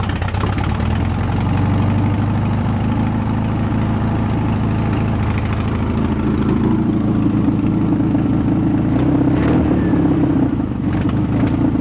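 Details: Air-cooled VW bus engine after 31 years in a field, original carburetor refitted, choke half on, primed with fuel, no throttle cable: catches and holds a steady, even run with slight rev rise, no misfire or knock.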